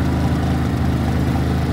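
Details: Harbor Freight Predator 3500W inverter generator after a 6°F cold start: steady, even low hum with no surging or misses; idling smoothly.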